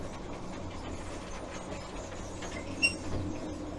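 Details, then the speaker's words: Ex-MOD Baguley-Drewry industrial diesel shunter on the move: steady chugging engine rumble with a brief, horrendous high-pitched brake squeal partway through. "Apart from those brakes squealing, they are horrendous."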